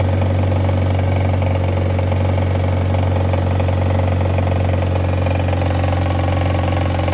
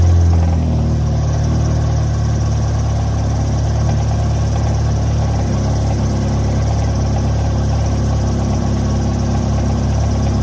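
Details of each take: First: Mazda Miata, automatic, after crank saver install and bolt re-tightened: steady idle with a loose, uneven rattle from the front of the engine; owner suspects something left untightened, since it didn't knock before, and the crank pulley still wobbles slightly; cause unconfirmed. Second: Mazda Miata, automatic, cold weather, just after installing a crank saver (bolt not torqued): engine catches with a brief flare, then settles into a steady, even four-cylinder idle without knocks or misses; runs fine.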